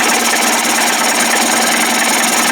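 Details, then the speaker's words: Johnson 25 hp outboard converted to 30-35 hp with a bigger carb and 72D jet: steady, even buzzing idle with a crisp, regular exhaust patter, no misses or surging, idling on its own without the roller touching the cam; normal idle. "oh boy look at that it just pulled some gas wow 72d that was fast quiet sounds good"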